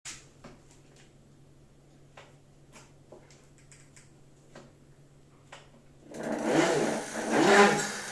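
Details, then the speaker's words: Bafang 500 W e-bike motor: faint steady hum with scattered clicks, then a loud resonant drone swelling and falling in pitch; owner says something in the motor is resonating, an abnormal hum. "Видал бы слыхал Какая хер короче полная что-то этот короче резонирует что-то как вообще в двигателя"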